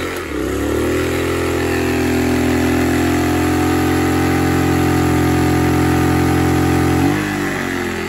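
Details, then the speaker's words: Sportsman 1000 W max / 800 W running inverter generator in economy mode, space heater on medium: engine jumps to a strained drone, pitch sags near seven seconds as it cuts out; overloaded and shut off. "yep it was able to handle it for a little bit but it shut off"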